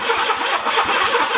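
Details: 1984 Honda Goldwing starter spins the engine briskly with an even chugging beat, about five compressions a second, and it catches once the faulty start button is pressed very firmly; cranking is healthy, fuel issue remains.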